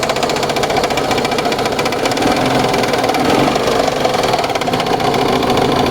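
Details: Car tagged Ford Escape, sudden engine knocking at idle: a fast, even, sewing-machine-like ticking knock rides steadily over the idle; internal knock, source undetermined.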